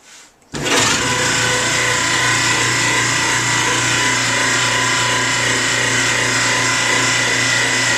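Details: 13-year-old GE Profile dryer starting into a loud, steady squeal: the blower wheel on the front end of the motor shaft was rubbing the front metal. It was fixed by loosening the bracket, pushing the wheel back and retightening; the drum glides were also replaced.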